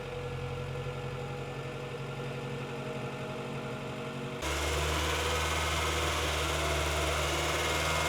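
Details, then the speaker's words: 1998 Honda Integra Type-R DC2 after clutch master/slave cylinder repair, timing belt, water pump, seals and engine mount replacement, coolant being refilled and bled: smooth, even idle stepping cleanly to a higher steady rev, no knocks or rattles; normal start and rev. "and guys she sounds really really nice"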